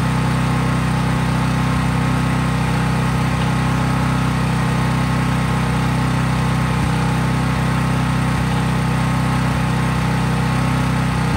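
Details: Craftsman 5000 W portable generator, cold-started, at full speed with only an LED bulb plugged in, so no load; steady, even drone with no misses or surging. Normal, healthy no-load running.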